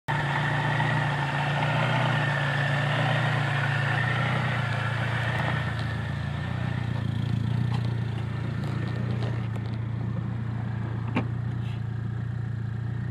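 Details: VW 2.0 petrol idling with codes for cylinders 1 and 4 misfire, random misfire, idle adapt and CPS. The coil has cracks, its cable has broken off the boot, and the distributor cap contacts are built up. Low, uneven beat that stumbles; owner suspects the coil.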